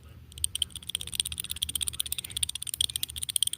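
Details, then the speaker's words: Old vs new wheel bearing on a Baja Bug, hub worked by hand: loose dry clattering clicks, several per second, from the old bearing with about an eighth inch of play; worn wheel bearing. "So, here's how I know my bearing is shot. This one's the new one. This is my old one."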